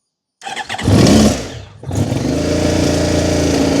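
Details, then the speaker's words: 2010 Honda VFR1200F that misfires, won't idle and won't rev smoothly below 4000 rpm; starts only with the throttle opened. It cranks, catches with a rough burst, sags, then runs unevenly, smoking heavily from over-fueling before it dies. "it does run. Smokes a lot. It's over fueling. And then it dies."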